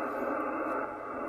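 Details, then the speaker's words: HF amateur radio receiver noise from a nearby laptop switching power supply: constant, even hiss filling the band with no fading or crashes, raising the noise floor from about S3 to S5; sounds like atmospheric QRN. "and you might just think that that's regular qrn or some people call ground noise just you know natural noise atmospheric noise some people call it and it's not that's coming from a computer"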